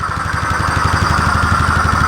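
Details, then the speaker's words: 2015 Polaris Sportsman 570 EFI, left outside for years with a reported blown motor, idling after its first start with the intake off: even, quick thumping with a loud intake rush and no knocks or misses. The idle is healthy, with no check-engine light. "this motor sounds absolutely quiet now it's loud because of that intake not on there"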